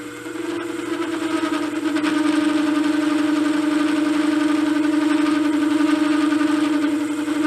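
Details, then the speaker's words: Cheap 3" R8-shank rough boring head with indexable boring bar, under review: ringing chatter with buzzing edge on a deep cut, tool slightly loose; chatter tends to loosen the tool, and disappears once in heavy cut. "you can hear the chatter not liking that deep of a cut everything's still stiff tool feels just a little loose"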